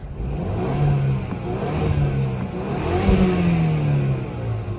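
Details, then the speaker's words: 2018 Chevrolet Camaro, 6-speed manual, crashed on a test drive with the airbags deployed; it still starts and runs but won't drive: revs rise and fall cleanly with a smooth, even note, a little turbo audible, and no knocks or rattles. "I mean, it's not too big of a deal. You can hear that little turbo."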